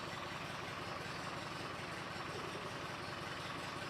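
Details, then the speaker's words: Porsche 356 on a 6-volt ignition system, idling with fuel back on: steady but slightly lumpy, uneven beat and dull exhaust note, rough idle; timing seems a little late. Cause suspected, not confirmed. "It seems like it's a little bit um behind on timing, but"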